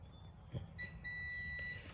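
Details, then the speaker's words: Lexus 100 series window wiring repair: a clear, steady high beep lasting about a second as the multimeter shows continuity on an intact wire; the red-with-blue-tracer wire is broken and would give no sound. "now just to show you guys how it would work if it wasn't broken say this is the plug side so i' put it on here and you hear it"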